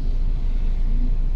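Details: Toyota Innova on a test drive after replacing a badly worn upper ball joint that had caused creaking and knocking: steady low road rumble with no squeak or creak over bumps; the front suspension now sounds quiet and sound.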